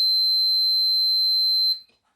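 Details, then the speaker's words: Multimeter continuity buzzer tested with probes shorted before checking the switch of an old Makita 8400D 9.6V cordless hammer drill; one steady high-pitched beep under two seconds; normal continuity beep. "So what I'm going to do now is check for continuity. If I go on there, well, let's just do a test first. I don't know if you can hear that, but that is beeping."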